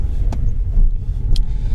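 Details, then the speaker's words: VAZ 2110 (Lada) while driving and braking, camera mounted at the rear: two sharp single knocks about a second apart over road rumble, audible even in cabin; knock from rear wheels when braking, cause still unknown. "В общем, ребята, вы слышали этот стук. Стук был не очень приятный, потому что его было слышно как в салоне."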